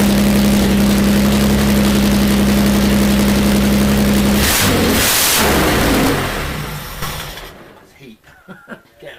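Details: Jaguar E-Type 2+2 six-cylinder under restoration, running with no exhaust fitted: loud, raw open-pipe idle with an even beat of about four pulses a second before shutting off; running on all six.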